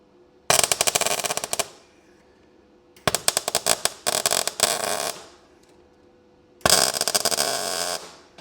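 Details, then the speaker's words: Ford Fiesta RS Turbo sill repair, MIG tack welds on ground-back clean metal; three short bursts of steady, even sizzling crackle with quiet gaps. Normal MIG weld crackle. "That sounds better. Oo, lovely."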